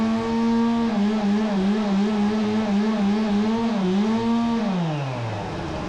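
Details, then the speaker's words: Stihl MS 270C chainsaw that bogged down and shut off only when warm, after fix, on ethanol-free premium 50:1 fuel, engine warm, cutting wood: high, steady buzz holds pitch with small dips, winds down smoothly, no bogging; normal running under load. "there we go guys not once that it bogged down or cut off on me"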